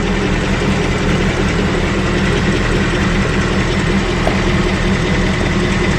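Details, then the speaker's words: Idle on a new engine just after its first oil change, with a faint, regular light ticking in time with the engine. The owner thinks it is a toned-down version of the earlier knock, and the origin is unknown. "I guess I am here and there now it's not like it was before it's almost like a subdued version on this little bit shock"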